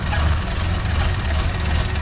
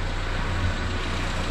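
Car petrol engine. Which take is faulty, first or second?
first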